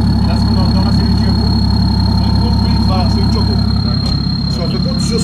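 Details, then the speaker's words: Reprogrammed BMW 535d E60 with a full straight-pipe exhaust: a steady high-pitched turbo whistle over a smooth, deep diesel idle, more audible at idle than under acceleration; normal turbo noise. "Une fois en full tube, automatiquement on entend les turbos comme ça."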